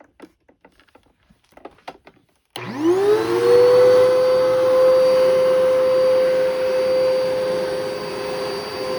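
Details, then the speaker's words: Thrifted Eureka vacuum with self-cleaning duster: motor spins up to a loud, steady high whine with a coarse, gritty edge; motor sounds worn and likely needs a refurb. "But yeah, so that probably needs a motor refurb at some point"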